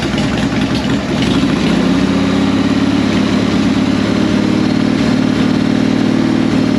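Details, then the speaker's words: 1998 Harley Sportster, an XLH883 converted to 1200, running after sitting four years, with carb ultrasonically cleaned and choke held by hand: loud, even V-twin idle with a steady low lope and no knocks or misses. Bowl gasket still weeps, idle needs adjusting. "So it looks like it's fixed. Still got a little weakly. I'm gonna have to replace the gasket on the bowl, but that's what the problem was. We'll have to adjust the idle a little bit on this too."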